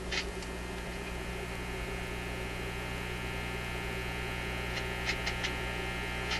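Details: Zenith Y825 vacuum tube AM/FM radio, shelved after working 6 months earlier, powered via restriction supply at 122 volts. Steady low mains hum with buzzy overtones, no station on AM or FM, just buzz; cause not yet found.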